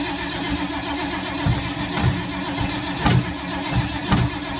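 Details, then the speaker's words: 1952 Ford, sat for months, battery getting tired after long cranking: slow, labored cranking at roughly one pulse per second with no firing; cranks, won't start, owner suspects no spark, points and condenser. "It's going to be the most epic hard start fail ever. I don't think it's getting spark."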